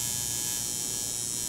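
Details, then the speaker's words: Coil tattoo machine running dry on a digital power supply, voltage turned too low: steady thin quieter buzz with fine metallic rattle and pinging; turn voltage up slowly until that rattle appears. "now when you turn it down you hear a good quieter and you want to set it generally you want to turn it up slowly and tell you hear it starts a rattle or vibrate like that that real fine metal pinging"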